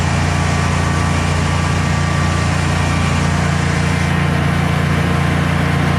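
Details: Generac Guardian 16kW standby generator, refurbished after exploded battery, running on gas under close to 6,000 W heater load: steady even drone, constant low hum, no surging or stumbling; didn't even hesitate, healthy.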